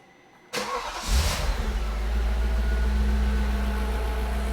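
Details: Audi C5 RS6 twin-turbo V8 second start after fitting Chinese-made timing chain tensioners, oil galleries and cams empty: brief crank, clean catch, smooth quiet idle, no rattle, no leaks or engine lights.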